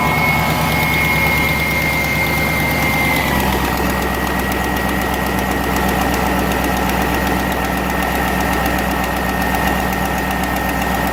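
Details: 2001 GMC Sierra 1500 HD V8 idling with a quick, even tick about four per second from an exhaust manifold leak; before and after fitting a Dorman 917-107 manifold clamp.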